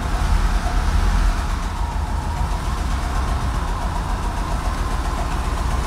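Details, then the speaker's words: Ford Scorpio 2.0i GL, 200 km after repair: a smooth, steady low rumble with an even beat and no knocks, misses or hunting; a clean, settled idle with no main fault. "donc la voiture tourne nickel est opérationnel à 200% il y a pas de défaut principal"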